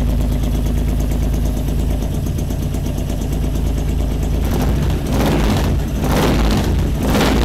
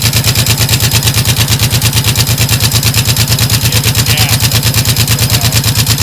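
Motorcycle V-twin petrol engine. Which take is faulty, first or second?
second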